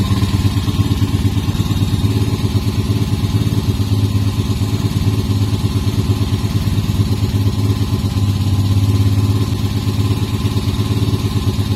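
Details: Restored Moto Morini 250 2c twin motorcycle, about 500 miles over 18 months: strong regular low thumping idle, about three pulses a second, no knock or rattle; owner says it is torquey and pulls cleanly, healthy.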